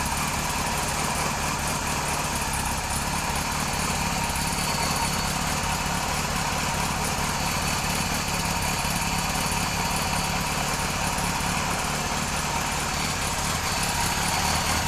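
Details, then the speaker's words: Kawasaki KZ police motorcycle on its stand, started with no choke, fuel delivery redone, charging not yet confirmed: even, busy whirr holding a steady sewing-machine idle about fifteen seconds, then cut off. Healthy. "yeah so she runs pretty good I'm kind of happy with that you know it's got a nice um sewing machine sound when she idles"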